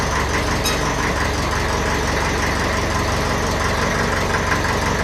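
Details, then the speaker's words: 1954 Ferguson 20 TEF diesel tractor, cold start without heat after 10–12 days standing in a not-cold shed: engine catches promptly and settles into an even, steady idle clatter with no misses or hunting; normal cold start. "There we go. That was a good start for that one."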